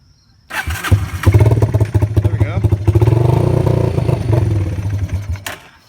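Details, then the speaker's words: Yamaha Breeze 125 quad, first start in 5 years after carb cleaning, choke off: revving either dies or surges very high; owner suspects fuel issue from old fuel topped with new, or sticking floats. "now it is running with the choke off, and when I rev it up, it either dies or revs up really high, so it kind of seems like a fuel issue or the floats keep getting stuck."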